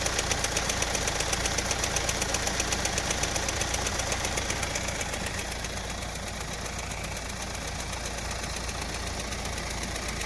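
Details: Engine idling: steady chirp-tick about two to three times a second, "chik chik", over a smooth idle; a slightly cut, damaged drive belt; check the belt and replace it to stop the noise.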